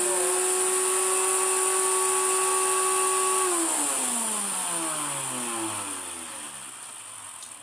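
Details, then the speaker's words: Water-damaged Miele Complete C2 Cat and Dog PowerLine vacuum, armature in bad shape: a high steady motor whine cuts off and falls away quickly as it runs down. The motor is corroded and finished, and the specific replacement motor is impossible to find. "this is why you never get your Meer wet because might look nice on the outside but the motor is just made of really Ferris material that corrodes instantly and does stuff like this"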